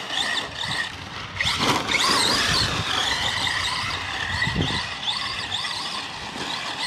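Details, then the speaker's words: Arrma Senton RC truck with a Gool RC 3670 2850kv motor on 2S: high warbling squeal rising and falling with throttle over the motor whine; possibly the slipper clutch loosening, and a stick lodged in the drivetrain. "actually sounds like that slippers losing up again yep all right we'll go tighten that up and what do we find in here a big old freaking stick that must been that noise"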